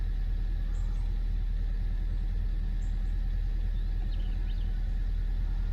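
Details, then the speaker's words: Honda Civic 1.5 turbo, 122k miles, in limp mode with multiple dash warnings: idle pulses unevenly, about two dull stumbles a second, hood shaking; misfire. "feels like it gets misfire keeps on going to this screen on Hotel brake light uh brake system flashing engine light so it's got a misfire you can see the hood shaking"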